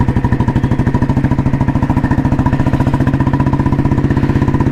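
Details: 1986 Royal Enfield Bullet restored, heavy-crank engine with Indore silencer and 3-plate clutch, running: slow, even single-cylinder thump about fifteen beats a second, steady, no knocks or misses; healthy normal exhaust note.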